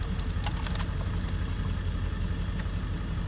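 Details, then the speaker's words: Salvage auction Kia K900 with V8 GDI, jump-started, possibly a flood car. Rough uneven idle with clatter and sharp ticks, barely holding on, then stalls and everything shuts off; it will not stay running, cause unknown. "well unfortunately this thing will not stay running at all sucks I think"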